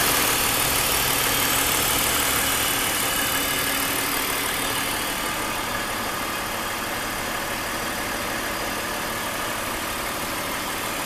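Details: 2001 BMW 530i M Sport (E39) with a newly developed engine noise; steady idle with a hissy, rattly overlay and a faint regular tick about three per second, cause not yet identified; abnormal idle noise.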